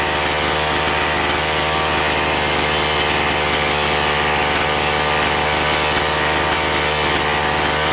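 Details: Chainsaw that surged and lacked power, after carburetor cleaning with both L and H screws set one and a half turns out from seated; steady high-revving two-stroke buzz that holds even with no bogging or surging: running cleanly.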